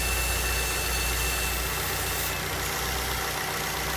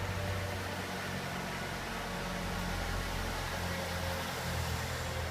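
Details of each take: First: 2006 Ford Fusion G1 with toc-toc ticking traced to an intake manifold problem, during demonstration with small hose removed: smooth, steady idle with even hum, ticking gone. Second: 2006 Ford Fusion (first generation) petrol engine, about 98,000 km, at stabilized idle: light, rapid tick of about four per second, often mistaken for cylinder head or valve knock; actually caused by the intake manifold.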